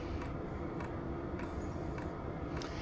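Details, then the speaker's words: Diesel heater with standard fuel pump and stock exhaust on low setting, mic a couple feet from the unit: soft regular tick roughly every 0.6 seconds over a steady fan hum; normal light dosing pump ticking. "you're going to hear some ticking no matter who these are but but it's really light I never heard anything in the tent"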